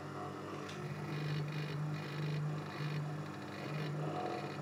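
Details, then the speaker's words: 240V dimmer switch feeding a 12V battery charger that powers a 12V DC motor; with the 40W parallel lamp removed, the steady low hum and faint drone stay the same, with no difference from the lamp. "sound happy with the lamp out she loved in no absolutely difference"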